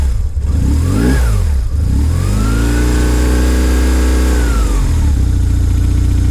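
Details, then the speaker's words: 2001 BMW R1150GS boxer twin with 35k miles, which the owner says has no issues: two quick throttle blips from idle, revs climbing and dropping back cleanly with no knocks or rattles. Healthy engine revving. "Sorry, don't want to torture the engine here. Just want you to hear how that sounds like."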